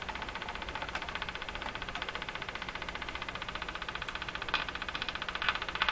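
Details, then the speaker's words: Crosley 43FB battery farm radio during alignment, on the AM band with the volume down: sharp, regular ticking about two and a half per second over steady hiss; an intermittent tick has returned, source still unknown. "AM band, oh my gosh, this ticking has come back. Now I remember, it was this ticking that just threw me for a loop there."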